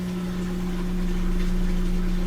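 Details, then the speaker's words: Samsung washer that wouldn't drain, after replacing the drain pump (old pump full of sand, probably jamming its motor): on spin, a steady even low hum with no rattle, grinding or gurgling; water leaves fast, pump operating normally. "So it sounds good, and when I peer in there I can see the water leaving the machine pretty fast."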